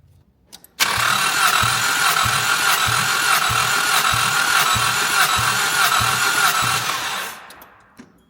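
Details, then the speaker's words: 1988 Chrysler Conquest (Mitsubishi Starion) turbo, 77k miles, sat 10 years, compression test on third cylinder: uneven cranking about four beats a second with one weak stroke; that cylinder read only 50–60 psi versus about 100 elsewhere. "That one didn't sound good. I don't think there's any compression on that one."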